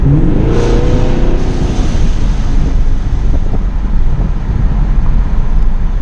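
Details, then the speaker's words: 2017 Camaro SS V8 with newly installed ProCharger and intercooler, first test drive: thin whine rising with revs, then steady airy rush as bypass valve vents; normal supercharger whine and bypass valve whoosh. "now now accelerating up to you just hear that uh purge valve just going just a constant whooshing noise kind of loud"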